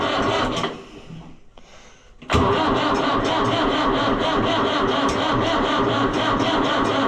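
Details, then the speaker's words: Fiat 640 based Oliver 1365 diesel tractor, after fixing a fuel filter leak, without a jump pack: laboring, uneven cranking under three turns a second that drains the battery and never catches; slow crank, no start. "Yeah, that really sucks the juice out of it. We were down to like 8 7 6 5 4 3 2 1."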